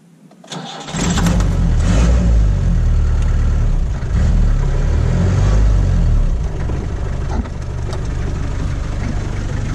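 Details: 1989 Land Rover Santana 2500 diesel, 68,000 original miles, fully serviced, good compression, glow plugs warmed, GoPro internal mic: brief crank, catches within a second, settles to steady even clatter, no smoke; normal cold start.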